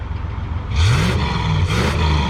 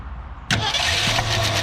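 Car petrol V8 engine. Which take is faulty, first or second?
second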